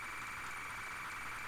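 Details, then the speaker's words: ZX Spectrum cassette, flight simulator program: a steady rasping screech with a hissy, smeared edge instead of a clean warble. The corrupted tape loading signal explains why the load failed to finish. "oh god oh god did you hear that was like oh was Earth Day was not a happy bunny at least at least I can hear some just war sounds horrible no wonder it didn't finish loading gosh"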